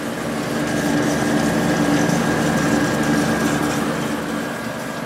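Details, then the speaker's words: Whirlpool Accudry 40-pint dehumidifier, late-1990s or early-2000s, reciprocating compressor, on high speed: steady hum with soft fan rush, no knocks; evaporator coil loops wet and starting to drip, still working; normal running. "yeah it uses a lot of power but certainly is reliable all right the loops at the end of the coil are wet I'm starting to drip so it is still working"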